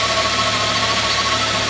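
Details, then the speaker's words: Mk3 Ford Mondeo at steady idle with a constant high whine, first thought to be the alternator; a screwdriver held to the ear traces it to a worn bearing in the air con compressor on the power steering side, which is to be replaced. "if i put that to my ear i can really hear it riding so i'm pretty sure that the air conditioning pump's buggered"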